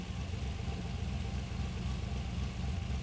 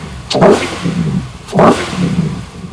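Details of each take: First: LS V8 with ACES Jackpot 2 drive-by-wire EFI on a new ECU, just switched to closed loop after a basic wizard tune: an even low burble at a steady idle with regular firing and no misses, giving a good idle. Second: LS engine on ACES Jackpot 2 drive-by-wire EFI, just started, quick throttle snaps: two sharp revs each with a short crack as the throttle opens; lean pop on acceleration, could probably use more acceleration enrichment.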